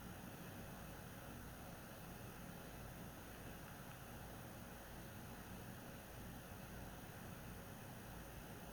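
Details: PS4 Pro consoles under heavy game load in boost mode, overclocked; first-gen 7015B (copper shim and new pads on south bridge and HDMI-area chip) nearly as quiet as third-gen 7215B (only dust-cleaned); soft steady whoosh, no rattle, tick or whine: normal fan running.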